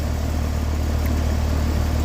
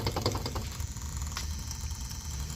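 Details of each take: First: Heil AC outdoor unit after a tune-up at about 59–60°F outside, compressor drawing 5.73 A and outdoor fan 0.63 A. Even, steady low hum with no rattles, knocks or pitch swings: normal running. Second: Heil A/C outdoor unit during a tune-up: a few clicks, then a loud steady low hum like scraping a coil, coming from the contactor even after cleaning. The failing contactor coil is buzzing, and the customer chose to have the contactor replaced.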